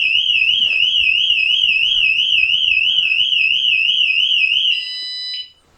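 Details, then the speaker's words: E-bike built-in anti-theft alarm triggered in locked mode: loud, high, fast-warbling siren sounding continuously for nearly five seconds, then cutting off. "it's a built-in bike alarm."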